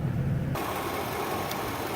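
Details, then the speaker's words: 2004 Ford Econoline E-150 XL wheelchair van, 110,352 miles, no warning lights, heard under the hood: steady, even low rumble with no knocks, misses or whine; the engine idles smoothly. "Underneath the hood, you can hear the engine idle smoothly."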